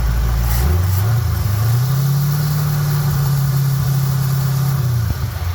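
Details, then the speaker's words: Carbureted engine hot at 212°F coolant, hood raised, phone over the carb: first throttle hit sends a big rush of fuel in, and the engine bogs and nearly dies, then drags back into an uneven, struggling run; flooding, clears after repeated throttle. "The first time I did it, with that first throttle hit, great big old rush of gas went in, and it tried to die."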